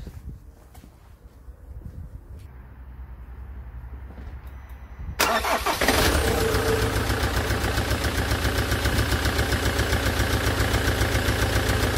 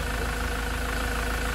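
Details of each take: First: Land Rover Defender Puma 2.4 TDCi diesel, first start after rebuild with new oil pump and wiring loom: cranks and catches, then idles with a fast even tick over the clatter, hydraulic tappets not yet full of oil; quiet after 45 minutes idling. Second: Land Rover Defender Puma 2.4 TDCi diesel, first start after rebuild with new wiring loom and oil pump, idling warm after 45 minutes with thermostat open: smooth even idle, no tappet ticking now that the tappets are full of oil.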